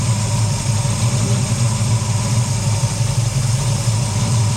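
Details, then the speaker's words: V8 whose cheap Summit Racing distributor had failed, timing checked at about 20–25, slightly retarded: steady, deep, smooth idle with no misses, knocks or hunting. Normal idle. "I was going to say, yeah, that sounds really good, but yes, it's 25. Or 20, I should say."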